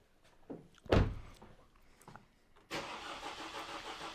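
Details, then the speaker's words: 2018 Vauxhall/Opel Astra K 1.6 CDTi with intermittent starting and codes U18A2 and P12A6: a few scattered knocks, then steady cranking with no start. The fuel pump quits and never reaches 100% on the actuation test; a connector terminal was found at fault. "no there's no going 100 down here already is there no no it's quit again"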